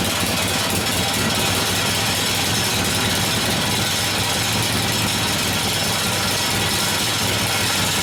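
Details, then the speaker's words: 1972 Harley-Davidson Sportster XL Ironhead bobber after engine rebuild, short open pipes: loud, choppy, stumbling, hunting idle; idle mixture screw set wrong, adjustment working but not very sensitive. "sounds like crap though short pipes got anything that screwed up the idle mixture is uh working but not very sensitive"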